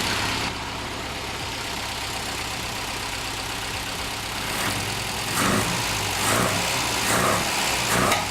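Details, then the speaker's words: Ford Fiesta MK1 carburettor (an Escort-type carb, partly rebuilt) idles roughly and stumbles on uneven rev blips that won't pick up cleanly; mixture screw tried from fully in to 3 turns out with no improvement; owner plans to replace the knackered carb. "I think the plan might be just to buy another used carburetor, because if you listen to this one, it's just a pain. So as soon as you go to rev it, I'll show"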